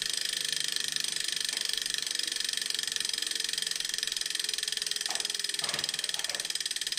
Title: Neo Grinding Noise